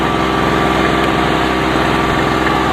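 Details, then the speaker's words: Harbor Freight 900 W two-stroke generator at about 7°C, running an 800 W heater at its maximum rating: busy, buzzy drone at a steady, strained pitch while the voltage drops; the engine is labouring under heavy load. "you can see the voltage is down you can hear straining right I mean there is heat coming out of it but you can hear that it doesn't particularly care for"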